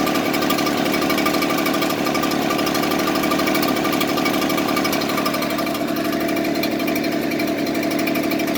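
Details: Echo two-stroke leaf blower idling with an uneven, stumbling beat instead of a smooth, steady buzz. Rough idle.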